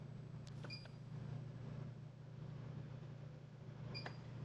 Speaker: And then you can keep clicking this same button. And it's got four different fan speeds on it. So you can just hit it if you want it to pull air out faster.